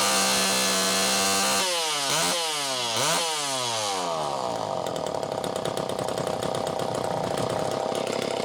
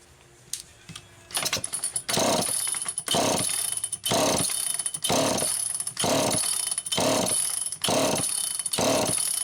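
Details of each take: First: Super EZ Automatic two-stroke chainsaw, near-new condition, second test run after cleaning: crisp rev-ups climbing and falling cleanly, then a steady buzzing cut with no stumble or misfire; saw pulls strongly and runs healthy. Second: Old Super EZ Automatic chainsaw with a deteriorated filter grommet and stiff fuel hose, pull-started: repeated cranks about once a second, each a brief whirr that never fires, not drawing fuel; fuel starvation.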